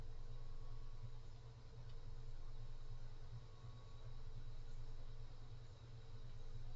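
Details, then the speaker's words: Cooler Master Mobius OC 120 PC case fan at maximum speed, mic close to the fan: steady loud rush of air with a faint whine on top, no knocks or grinding; noisy at full speed, with several harmonic resonances noted at lower speeds. "so that's the maximum um this one is kind of noisy to be honest"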